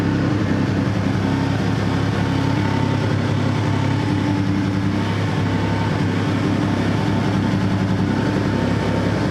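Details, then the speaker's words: Toyota 4Runner 3.4 V6 with random misfire codes P0300/P0305: deep loud idle with uneven pulse and occasional alternating stumbles, partly masked by loud exhaust; owner suspects a coil or plug wires. "that there it's not a steady miss it's like an alternating miss hoping it maybe it's a coil not really sure"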